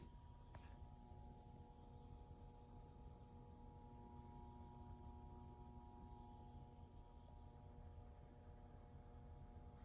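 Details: Schiit Gungnir Multibit DAC, new from the box, powered with nothing connected: quiet steady hum with several faint fixed tones, persisting across outlets and a clean supply; owner unsure if burn-in or a fault; handling clicks near end.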